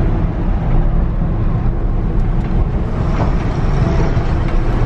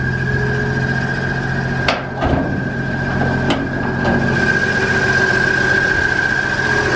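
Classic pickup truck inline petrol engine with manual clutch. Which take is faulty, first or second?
second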